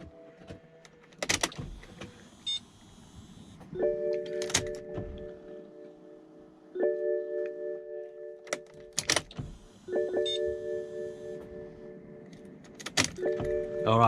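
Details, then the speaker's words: BMW E60 M5 with the S85 V10, after fuel injector replacement; the fuel pump under the back seat runs about two seconds after each key-on, four times, a steady mid-pitched hum, while the injectors are checked for leaks; normal priming. "you can just hear that fuel pump running momentarily in the back there under the back seat maybe a couple more times for good luck eh"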